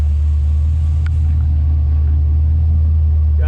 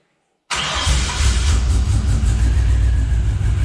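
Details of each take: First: Scout 80 with junkyard LQ4 6.0 V8 swap, first start: deep, steady idle near 600 rpm with no skips or knocks, running evenly on all cylinders, no check engine light; normal idle. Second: Scout 80 with junkyard LQ4 6.0 V8 swap, first start after sitting: loud, lumpy, uneven idle with missing beats, a few cylinders not coming in; owner believes several injectors are sticking and plans to track down which ones.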